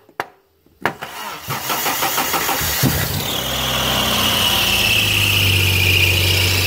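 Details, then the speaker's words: Car whose starter seemed stuck though battery was charged; after tapping the starter with a wooden block, it cranks in quick even pulses, catches and runs with a high squeal; owner suspects starter needs replacing or servicing: sticking starter. "later I kind came to the delusion that it was the starter has been acting up so I definitely need a new starter or you know at least service it"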